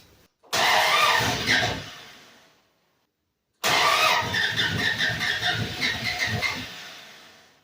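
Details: Body-swapped 1948 International panel truck, first start in 2 years after reseating caps that were sticking up. Two bursts of fast cranking with no catch; the owner suspects the aftermarket oil pressure gauge and sensor swap may be affecting the computer.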